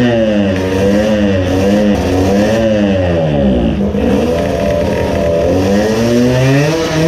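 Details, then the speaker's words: 20 hp two-stroke moped engine, Chinese carburetor drilled out while chasing lack of power: good at part throttle, but at full throttle screams to a high, hollow note and sags between pulls; lean at full throttle. "now it is again lean. but on part throttle it was good. I noticed that you can lure it to rev by part throttle and after that you can give full throttle it will scream but it has a hollow sound."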